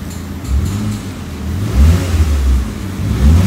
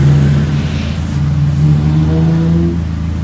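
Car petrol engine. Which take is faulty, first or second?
first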